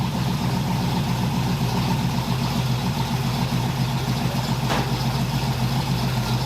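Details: 1981 Oldsmobile Cutlass Supreme with a home-built small-block Chevy V8, outside after hot-lashing the valves, correcting the spark plugs and fixing the timing/HEI distributor: a steady, even idle with no knocks, ticks or misses. Normal idle; may need more accelerator pump or a richer tune.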